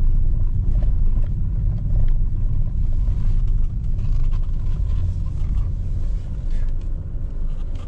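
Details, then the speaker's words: Tata Altroz petrol after major full service, driven on a bumpy brick road: steady low tyre rumble with no knocks or rattles, steering turns silent; suspension sounds tight and healthy. "कोई आवाज नहीं है। Steering cut करने में कुछ भी नहीं। बिल्कुल स्मूथ चल रही है"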